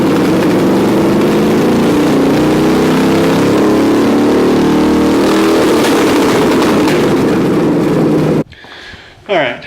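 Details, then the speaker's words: BMW E30 with an LS1 V8, no exhaust fitted, testing a different curve module: loud open-pipe idle with lumpy, uneven beats before shutdown; spark plugs show it running slightly rich, with tuning planned once the exhaust is on. "we check the spark plugs and found out we're running a little rich and we'll probably up the tune the carburetor once the once we get the exhaust put on"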